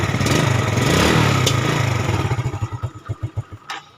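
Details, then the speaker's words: Yamaha Vega ZR motorcycle after a starter motor replacement: the engine starts easily, runs smooth and even for a few seconds, then slows and fades when shut off; a normal, healthy start and idle. "Dengarkan baik-baik suara motor starter, teman-teman. Sangat halus, kan?"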